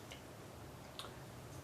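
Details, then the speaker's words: 1929 Briggs and Stratton Model FH engine, spark plug out, crankshaft turned by hand: faint ticks, then a sharp knock as it hits a hard stop at almost 360°; owner suspects a rotted, tilted oil pump; cylinder looks good. "stops at almost 360° and it's it's like a hard stop too you can hear you hear that knocking so it has issues and I think the issues might be down with the oil pump"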